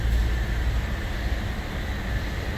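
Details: 2018+ Chevy Traverse/Buick Enclave after alternator replacement for P0621, battery dead: smooth, low, steady idle with a faint even whine, no misses, knocks or squeal; charging 12.8–13 V, engine and charging system healthy.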